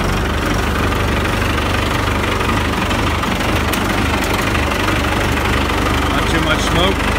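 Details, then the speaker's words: 4BT P-pump diesel in a Scout, cold start at 1°F after grid heaters held 15 seconds: fired right up, even diesel clatter at steady cold idle with deep rumble, no misses or knocks; healthy. "Let it warm up a minute, but that's it. Grid heaters are awesome. 1 degree, fired right up."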